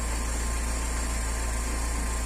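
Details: Petrol car engine idling after an oil warning light and lifter noise problem was fixed: smooth, even low hum with no valvetrain ticking; check-engine light still on for an unrelated issue.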